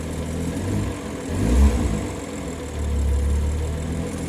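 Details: BMW with a VRSF 200-cell sport catalytic converter, idling then revved twice: a loose metallic rattle from under the car rises with revs. Owner suspects wastegate rattle rather than a heat shield; not confirmed.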